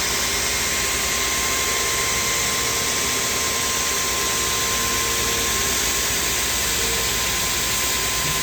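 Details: Two-head wide belt grinder (P120 then P180) finishing the flanges of a 14-foot aluminum beam: a steady, even hiss of belts on metal with a constant high tone and no surging or chatter; normal grinding run.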